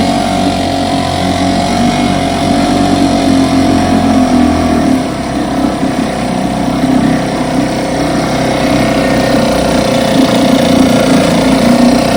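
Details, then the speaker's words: Fully rebuilt 1960s West Bend 2 hp outboard, model 2901, barrel test run after restoration; steady, even two-stroke buzz at constant speed, no knocks or misses, running cleanly. "Got her completely rebuilt, painted, waiting on decals. I should think Randy and Terry are going to make their own. So I'm about to set her in the barrel and do a barrel test run."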